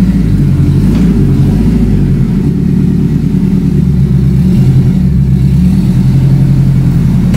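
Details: Engine revved: deep, smooth note climbing and settling back with each throttle blip, no knocks or rattles; healthy, sounds all right.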